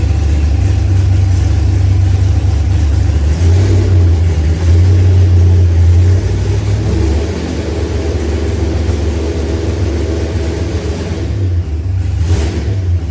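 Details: Newly built Procharged LS engine with 12-1 crank trigger wheel, first start after cranking troubles: deep even idle swelling smoothly with blips and settling back without stumbling; running healthy.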